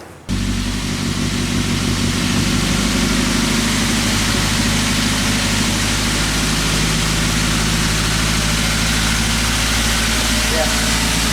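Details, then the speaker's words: Toyota Avanza EFI engine, complaint of unstable idle, sometimes high, sometimes low; scanner shows over 1000 rpm against a roughly 900 rpm standard. Steady fast idle hanging high with no dip: idle too high, sensor or actuator fault suspected. "kondisi putaran stasionernya ini terlalu tinggi. Kalau standarnya stasionernya itu sekitar 900 rpm, tapi ini 1000 rpm lebih."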